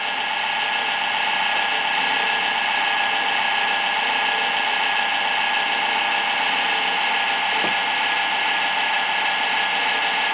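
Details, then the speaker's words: Rear case fan in an old Windows XP PC: steady gritty high-pitched whirr with a fast uneven rattle that never settles; worn fan bearings. "The bearings are gone on that fan."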